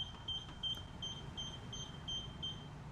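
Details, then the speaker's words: Infinity Shield multi-beam garage door sensor during installation after rewiring a broken wire: thin high beeps about three a second; sensor fault beeping, which stops once connected and can be disabled. "You can hear the beeping, that'll stop in a minute. The beeping is also optional, so I'll show you how to disable that."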